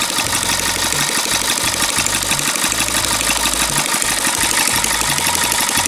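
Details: Long-unused small single-cylinder petrol water-pump engine, hard to start, finally started: steady, even chatter with bright buzzy exhaust note, no misses or surging; sounds healthy.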